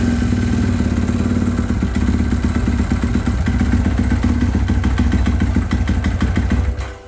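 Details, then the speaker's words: 2018.5 Husqvarna FC450 Rockstar Edition, hard to start and stalling when revved: lumpy, uneven thumping as the throttle is blipped, never settling, then dying; it also backfires on decel and loses power. A fuel problem is suspected. "when I go to start it you can hear that uh it takes a while to get going and then once it starts it when I rev it up it really just wants to die"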